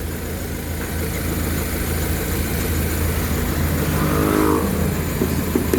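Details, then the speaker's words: 2000 Honda Civic VTi after all idle was lowered at the throttle body, first start with check-engine light on and temperature sensor unplugged: a very low but smooth, even idle with no misfire. Low idle pending re-adjustment when warm. "Yan ang menor natin. Unang andar. Naka-check engine. Nakabunot ang temperature yan. Sobrang baba pero ang pino."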